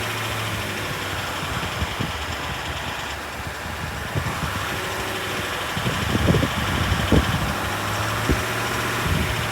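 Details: Range Rover SDV8 diesel V8 idling: steady low drone with irregular sharp knock/tap, persisting after reported work of two new turbos, two EGR valves, oil and EGR cooler seals, oversized big end bearings and a crank said to be skimmed and polished; also surges under light acceleration.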